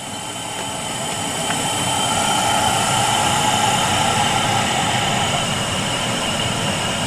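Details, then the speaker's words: 2005 Dodge Ram 2500 during single- to dual-zone climate control conversion. Steady fan rush with a thin high whistle over it from an air leak at the blower area; owner first suspected the fan, fixed by adjusting and retightening. "Now what does concern me here is the whistling I'm hearing."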